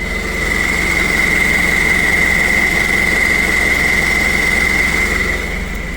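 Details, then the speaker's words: Ford Everest 3.0 automatic, in drive held on the brake: steady high hum from underneath over the idle; converter seems to stay engaged, torque converter suspected. "Drive. Ayan, oh. Tapos umiingay sa ilalim. Humming noise."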